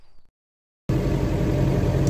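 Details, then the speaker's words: Ambulance-conversion truck after rear-end repair, driving home from the shop: steady low road and drivetrain rumble, the howl gone after the damaged bearings inside the rear end were replaced; the outer axle bearing did not need doing. Finding: normal quiet rear axle, no howl. "so he said the noise is gone the howling noise so it was the bad bearings"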